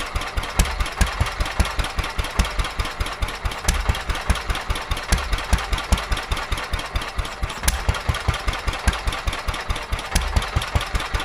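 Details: Petter A11 (A1 series 2) vintage single-cylinder stationary engine, owned 12-13 years, stored damp in a container for four years, first run after revival: slow thump about two and a half beats a second, uneven in strength, rough and unsteady; owner suspects fuel starvation from dirt in the carburetor.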